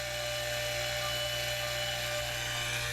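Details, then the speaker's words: Fuel transfer pump on a 1969 trawler repowered with Cummins 6.7 engines, filling the day tank through filters: steady low hum with a constant light whine, even and unbroken; fuel flowing, running normally. "I hear it. We got fuel."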